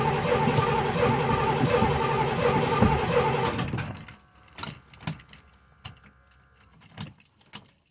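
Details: Box Chevy V8 with a misfire issue cranks steadily for about four seconds without starting, then clicks and jangling keys; freshly charged battery, fuel pump heard priming.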